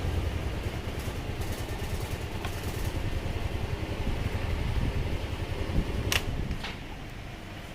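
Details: Motorcycle idling with a steady low putter and no knocks, rattles or misfires, after the starter switch's corroded copper contacts and spring were cleaned, fixing a silent no-crank fault caused by parking out in the rain.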